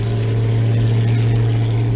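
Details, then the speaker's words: Linn tractor with 350 small-block Chevy V8 and HEI ignition, first run in 2 years, at the shop; deep even rumble, steady beat, no knocks or misses, normal healthy idle. "so we'll insert the video of it up and running right here down at the shop now and the Lin sounds good"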